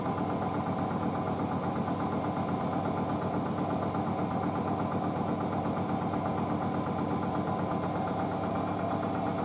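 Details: Hotpoint WD640G Aquarius+ Super Silent washer dryer with an inverter motor and 1400rpm spin, standing on a possibly slanted concrete floor: the high-speed spin gives a steady hum and a faint whine with no thumping. Balanced, normal.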